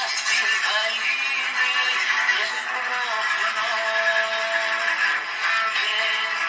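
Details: AWA Radiola Champion valve radio (circa 1950–52) after valve replacement, antenna connected: clear music with singing at steady volume, no hum or crackle; normal audio output, though volume control reportedly has no effect.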